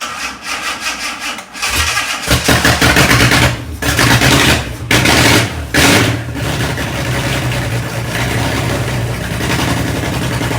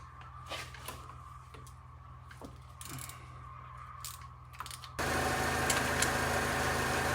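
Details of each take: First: Fake Aston Martin replica kit car, first start after cleaning gummed carb linkages, brief run with no cooling set up: cranks a couple of seconds, catches with a deep roar, throttle blips, settles into a strong even run; sounds all right. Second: Fake Aston Martin replica kit car, carburetted engine cranked while distributor turned for timing: starter churns steadily about four beats a second but never catches; no-start traced to gummed carburettor linkages, cleaned afterwards.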